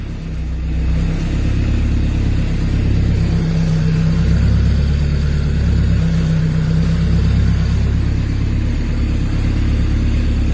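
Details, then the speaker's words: Honda K24A2-swapped Fiero GT on its first start after the cam and TDC sensors were plugged in: a deep, even engine note rising and falling with the revs, with the noisy twin-disc clutch rattling underneath. Revved to 5900 rpm, coolant at 78°C, running healthy. "all right on it works i did it yeah twin discs are noisy"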